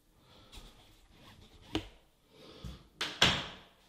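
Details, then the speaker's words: Door after replacing squeaky standard mortise hinges with ball bearing hinges; soft swing and firm latch click with no creak or squeal, only carpet noise; quiet, smooth door operation. "but the door closes nicely and let's listen that noisy here is the carpet but very smooth quiet should take you about 15-20 minutes a door closes very nicely"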